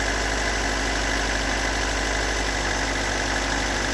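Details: Stock unmodified bigport blue-top 4AGE in a Toyota AE86, about 195,000 km on the swapped clock, regularly maintained, cold start: uneven, lumpy rough idle with an irregular light knock; owner cannot locate the cause.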